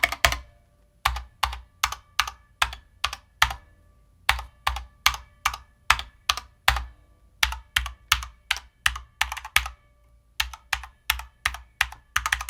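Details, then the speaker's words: Corsair K65 Mini 60% keyboard sound test: crisp key clacks and good-sounding stabilizers, but a hollow, echoing case and occasional metallic spring ping, a known trait of this case. "Spacebar, all the stabs sound great, but you probably heard a little bit of a hollow sound, maybe some pinging here and there, right? And that is known with this case."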